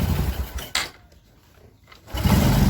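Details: Honda Supra 125 motorcycle after new piston fitted (burned oil, smoked, oil ran dry), checking oil reaches the head: catches after a brief pause and settles into a steady, even putter; normal start and idle.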